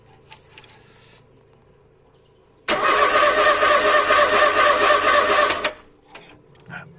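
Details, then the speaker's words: Ford Escort MK2 barn find, unused 27 years, cranked via jumper wire at starter on fresh fuel tank; starter churns evenly about two beats a second, never catches, sounds low on compression; cranking no-start, no spark, points next. "got no spark that's not really a surprise right next thing we have a look at the points"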